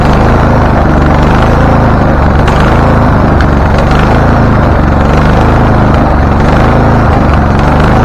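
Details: Husqvarna LTH 1438 riding mower, 13.5 engine, reported to shoot flames through the carb; first start before repairs, choke not closed: stumbling, misfiring beat with sharp backfire pops; mower shop suspected loose cam gear, unconfirmed.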